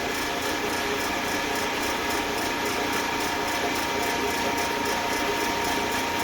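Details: Eastwood Elite QST 30/60 scroll air compressor after replacing the failed pressure switch, which had never cut out and popped the 30 A breaker: tank around 100 psi heading to the 145 psi cutoff, steady hum with faint high whir; normal running.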